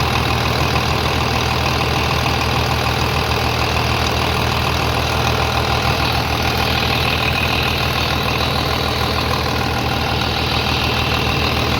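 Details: 3588 at 7,338 hours, idling on a freshly rebuilt engine with new cylinders and pistons; quiet, regular low thrum with light even clatter, no knocks or misses; a slight line leak was found, to be tightened; normal diesel idle.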